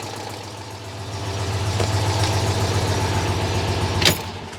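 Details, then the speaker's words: Citroën 2CV flat-twin after ignition wiring tinkering: steady low putter three to four beats a second at even idle, running again; owner hears an exhaust leak, timing still to recheck. "well I guess that was a successful session of tinkering then Ellie he's actually running up again"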